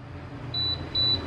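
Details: Sevilla SV-212II double induction cooktop that displays but never heats: three short beeps, then no fan at levels 8 or 4 and no error code.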